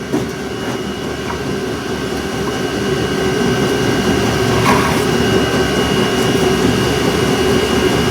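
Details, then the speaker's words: 12V electric trailer jack, rusty and lubricated with WD40, running: steady motor drone with coarse, gritty grinding as the jack screw scrapes and cuts its threads. "go sounds like it's cutting threads that's weird yeah I did kind of cut some shads there a bit"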